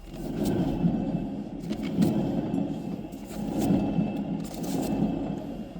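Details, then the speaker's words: Eriba caravan hub, wheel off and hub spun by hand: coarse gravelly rumble from a dry hub ball bearing, grease melted out by repeated drum brake heat. "그로 인해서 제 어 안에 이제 구리스가 없다 보니 볼베어링이 굴러가는 소리가 납니다. 소리 나면 안 되거든"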